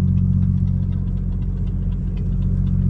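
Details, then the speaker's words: Mercedes W210 E320 after sitting over a month, new conductor plate, fluid, shift kit and gear selector: idle rumble with faint regular tick about four a second; source unknown, owner says everything was tightened. "I hear some I don't know what the hell it is"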